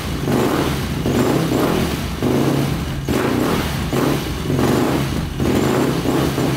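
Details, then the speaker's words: Rebuilt big-bore 2005 Yamaha YFZ450 quad, first start after rebuild: single-cylinder revs rise and fall cleanly in blips; sounds and runs good, though exhaust pipe glows red hot. "it sounds good runs good"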